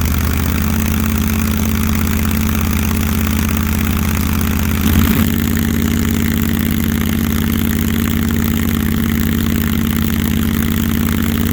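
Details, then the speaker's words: Supercharged big-block 1968 Barracuda on an early start, being timed with a timing light: big V8 idles unevenly with a lumpy, wandering beat; rough idle, timing not yet set, cause not found. "Got to figure out why it's idling so funky."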